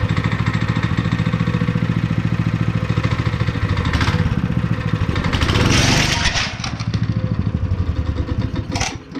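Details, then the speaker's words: Honda GX160 5.5HP on concrete power trowel, unrun for years, after repair with cleaned spark plug: even single-cylinder thumping, quick rev rise midway then settling back to steady beat; sounds healthy. "okay guys we got it running"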